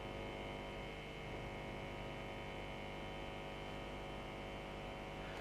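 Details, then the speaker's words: Vintage tube radio, earthed, tuned off-station: steady low mains buzz with a rough edge, present anywhere across the band and rising with volume up to a point; not from the room lights. "But the buzzing's there even though it's off a station. And anywhere across the band, you can hear that buzzing. And it increases to a point with the volume."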